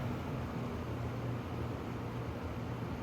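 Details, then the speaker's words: 2025 Vornado 660 air circulator fan, new, on a higher speed setting: steady airy rush with low even hum, no rattle or scraping; running normally and quietly. "So it seems actually pretty quiet. It seems a lot quieter than the other ones. I don't know what they've done to make it quieter, but it definitely seems a lot quieter."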